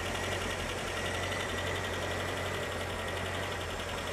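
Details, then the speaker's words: 1985 Ford Corcel with CHT engine, unrestored project car, idling quiet and steady with an even beat, no knocks, misses or rattles; running smooth and round, normal healthy idle. "E tá redondinho o motor, né?"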